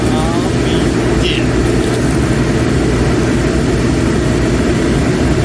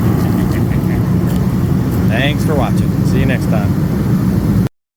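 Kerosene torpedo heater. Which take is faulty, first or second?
first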